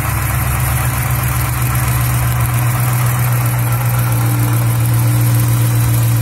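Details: Hemi V8 with only 37K miles at idle: steady deep idle with an uneven pulsing knock, roughly four a second; a bottom-end knock and tick of unknown cause.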